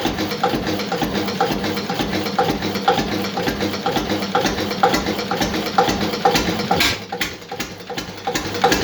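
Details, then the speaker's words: Witte single-cylinder diesel after timing adjustment, idling at about 200–250 rpm: slow steady thump about twice a second with soft clatter between beats; normal, very slow even idle. "200 250 rpm no calling it's not going any slower than that"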